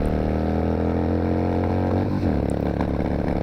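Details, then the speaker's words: 2002 Yamaha XVS650 V-Star, air-cooled, just under 30k miles, at highway speed: steady drone with an intermittent stumble as the front (number one) cylinder cuts out. That cylinder has bad piston rings. "this thing does do highway speed, but you can hear that number one cylinder cutting out the front cylinder."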